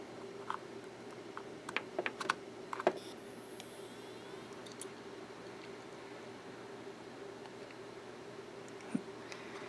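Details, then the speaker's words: Western Digital Scorpio 120GB 2.5-inch SATA hard drive from an eBay lot: quiet steady whir with scattered light seek ticks and no repeating or odd clicking. Normal healthy seek. "and powered up and seeks fine. I don't notice any odd clicking or anything like that."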